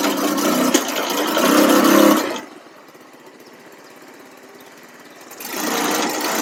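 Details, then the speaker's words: $300 buggy small engine after carb tuning, riding: buzzing hard at full throttle then dropping away about three seconds before picking back up; intermittent high-load cutout, owner suspects CDI, unconfirmed, plans to recheck spark plug. "I've seen videos about people saying that uh something like this could be caused by CDI so I might look for a new CDI on Amazon see what they got"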